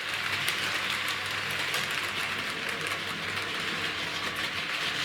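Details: Model railway Brighton Belle set R3606/R4871, five Pullman cars: light rapid clicking over a steady motor buzz, pulling forward normally; it will not push backwards, motor was replaced and is not the cause.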